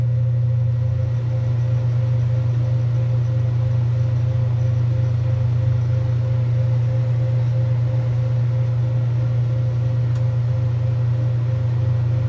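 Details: 1978 Kenmore 70 Series top-load washer with new-old-stock motor, belt and pulley fitted: steady low motor hum with a gentle rhythmic pulse around two and a half per second, even and smooth; agitator working normally.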